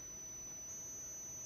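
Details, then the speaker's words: Homemade push-pull driver with six-layer coil and ferrite pot core; faint steady high-pitched squeal with quiet hiss, creaking and crackling with no gain in lamp output, cause unknown: squeal and crackle. "залипание происходит такой эффект бестолковый как бы скрипит трещит А никакой прибавки лам ват"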